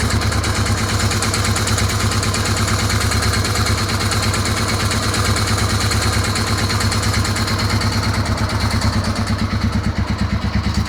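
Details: Suzuki DR 650 single-cylinder engine at idle with throttle blips: single thumping with a slightly uneven mechanical clatter underneath; unidentified engine noise, no clear cause.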